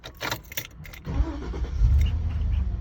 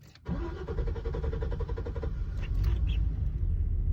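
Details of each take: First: 2006 Chevy Silverado 2500 that cranked 5–20 seconds after refueling; after replacing the evap canister purge valve solenoid and filling the tank, engine catches within about a second and settles to a steady deep idle. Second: 2006 Chevy Silverado 2500 hard start after refueling: about two to three seconds of cranking, then it catches and runs rough before smoothing out; worse with a full tank. Owner suspects a stuck-open evap purge valve solenoid, part 91130.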